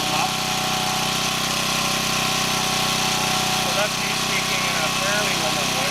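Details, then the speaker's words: Champion 1200W portable gas generator powering a Frigidaire fridge (4.75 A), 122 V on the meter: steady, even engine drone with a busy high-pitched buzz on top, no misses or surges; running fine under load. "So it sounds like it's running okay. Lights on in the fridge normal."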